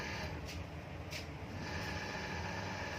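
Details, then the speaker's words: Exhaust fan motor after replacing noisy old bearings with new 6201 bearings, trial run with two screws fitted: quiet even hum, noise now much reduced, no rattle or grinding. Normal running. "तो फ्रेंड्स ये देखिए इसकी नॉइस बिल्कुल कम हो चुकी है, अभी कोई प्रॉब्लम नहीं है"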